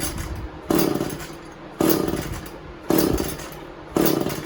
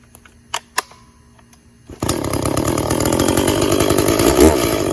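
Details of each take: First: Echo CS400 chainsaw, first start after replacing stripped-gear oil pump with OEM part: two-stroke surging in uneven bursts, rough and unsteady; owner suspects it flooded. Chain oiling confirmed. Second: Echo CS400 chainsaw after OEM oil pump replacement and tune, cutting white oak: fires after a couple of pulls, holds a strong steady scream, dipping briefly as it bites; chain sharp enough, dug in under own weight; normal cutting under load.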